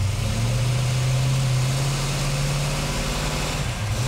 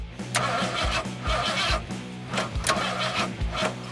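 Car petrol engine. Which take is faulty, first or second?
second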